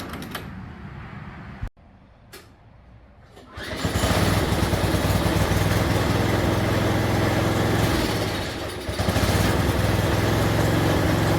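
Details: Snapper 4/22 snowblower after throttle linkage freed: pull start, small engine settles to steady even speed without hunting or over-revving; healthy.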